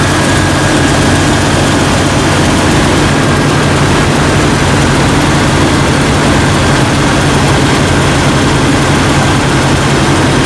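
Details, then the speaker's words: Jeep Cherokee XJ 4.0L that would not start, started after a jump; battery nearly a year old, reading 12.3 V. Loud, steady, even low rumble with no misfire, ticking or knock. Alternator reads about 14.2 V, so it is good and the battery is the problem. Normal idle. "All right, let's start it up, and then we're going to check the alternator and see if we're getting 12, or see if we're getting around 14. All right, got a strong start."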